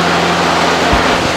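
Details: Husqvarna riding mower (same as AYP Craftsman) with blades engaged, apparently after replacing deck spindles ruined by worn, out-of-balance blades. A steady, even whir and constant low deck hum, with no knocking or grinding; spindles and blades spin smoothly.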